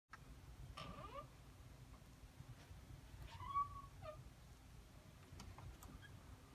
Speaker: so if your door squeaks like that there is a solution I'm going to show you how to grease the pins today